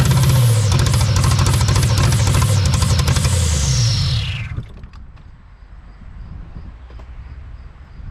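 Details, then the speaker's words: 1983 Buick Estate Wagon, not run in 30 years, with new spark plugs, wires and fuel pump and old fuel: the engine catches, runs rough about four seconds, then stalls and won't stay running; owner suspects bad fuel, cause unconfirmed. "So as you can hear, it just doesn't want to stay running at all."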